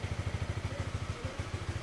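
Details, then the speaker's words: Honda CB150R after installing a capacitive touch-sensor anti-theft module: steady, even single-cylinder thump about eight pulses a second with no skips; starts and idles cleanly. "Sekarang kita hidupkan. Oke, motor nyala dengan sempurna,"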